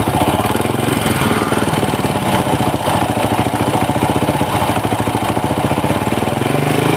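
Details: Honda Supra motorcycle engine idling at the workshop after a kick start, the front engine section sounding "horrific": a fast, even rattling knock riding on the idle throughout, louder than a healthy single's beat.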